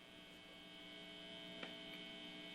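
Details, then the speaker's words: Steady buzzy 60 Hz mains hum from a Fender Stratocaster's single-coil pickups plugged into an amp; single coils induce hum, which humbuckers are designed to cancel. "yes, the beautiful sound of guitar hum. Now, that hum is a 60 cycle hum, and that hum is coming from the single coils in my Stratocaster."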